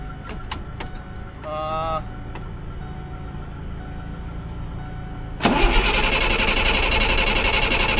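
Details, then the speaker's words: Ford F-650 service truck with a 10,000 lb crane and Allison transmission, bought as inoperable, which had run the day before. A rough, fast, even churning of about four beats a second while cranking, with no catch: it cranks but won't start. "We went to go and drive it away, just close the hood, get it ready to go, and just take it for an actual test drive. Well, guess what? The machine wouldn't start."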